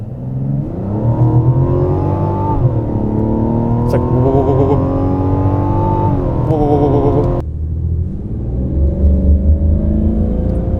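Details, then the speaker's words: 2024 Mazda CX-90 with the new inline-6, accelerating at about 45 km/h. A howling whine climbs with road speed, with occasional shudder; the driver suspects a transmission or differential-bearing noise, possibly only this car. "the one that's a little bit more concerning is this transmission and this like wine it's like it like gives it a bit of a shudder at times it's kind of strange because it's like this this howling noise or this like differential bearing noise very slightly"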